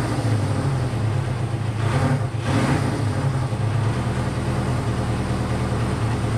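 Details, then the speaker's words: Honda CB500 four-cylinder idle that hums but wavers, with one brief dip, while firing on all four. It was hard to get idling properly and smoked a decent amount; the owner suspects low compression. "as you guys saw i was having some difficulty uh getting it to idle properly and even more concerning than that it started to smoke a decent amount so that kind of goes along with what i mentioned earlier in the video of i'm not convinced that this engine has good compression"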